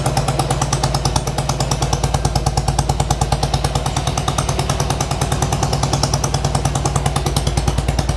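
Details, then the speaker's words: 1995 Harley-Davidson Sportster flat tracker project, warming up with choke partly on; rapid steady potato-potato pulses at raised idle, both cylinders firing evenly; running healthy, carb clean still needed. "a little bit of the choke in so it sounds like it's a high idle right now but needs a carb clean next but both are running so we are good there"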